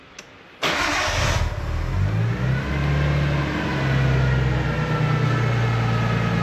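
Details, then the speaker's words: 1993 Nissan Skyline RB20DET after fuel filter replacement and fuel pump priming: starter catches in under a second, revs flare briefly, then settles to a smooth, steady idle with no fuel leaks; normal engine start. "you can see it started up beautifully"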